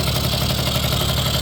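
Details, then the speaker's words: 1980 Suzuki FS50 scooter found roadside, first run on premix fuel: little two-stroke buzzing at a steady, crisp idle with no misses or knocks; normal idle, carburetor could still use tuning. "and there it is sounds good seems to run pretty good could use a little bit of tuning on the carburetor still"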